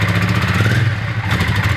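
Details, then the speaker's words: Honda Ascot motorcycle, not yet fully warmed up, idle very low; rough uneven low beat with clattery hesitation when throttled, wants to die if revved hard; throttle stutter, cause unclear, possibly temporary. "but the idle was extremely low i mean it's barely even making any worse there is a stutter to the throttle"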